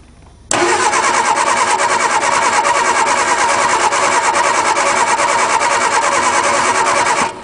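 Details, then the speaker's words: 1961 Ford Anglia cold start after sitting about 10 years, engine not seized, jumper wire to the solenoid: starter cranks steadily about three turns a second for seven seconds, never catches; no spark found, points to be sanded. "nothing no ignition so let's check if it has spark we just determined has no spark"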